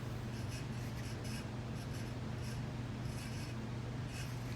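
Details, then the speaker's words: Early-to-mid-1990s Leading Edge 4820-1 48-inch commercial ceiling fan on speed one/two of a five-speed choke control: low motor hum with a scratchy squeak about twice a second from dry bearings whose grease was degraded by motor heat. "ws that's beyond the point so you can hear the bearings already freakin making a noise no surprise there the performance of the fan probably is slightly slower with the bearing issue"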